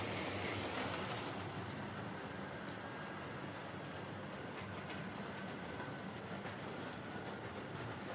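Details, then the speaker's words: Hornby R2329M Britannia Class "Dornoch Firth" OO model loco on layout, with a loose rod: steady rail clatter with thin whine through it; bad motor whine, owner thinks it may ease with running, cause not confirmed. "okay so that's the door knock fourth um it's a bit of a noisy one uh yeah it actually sounds like the old Fleischman of silver sealing fuel motor um you know it's got a pretty bad wine"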